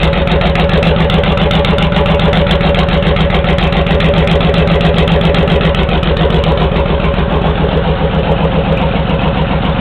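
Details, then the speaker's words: Honda VTX1800 V-twin with pair valve removed, Hardkrome 3-inch long pipes: deep, loping idle, steady lumpy beat around three to four pulses a second, even and healthy; idle improved, less decel popping. "um which I think the idle the idle's much better and I know everybody's looking for that idle"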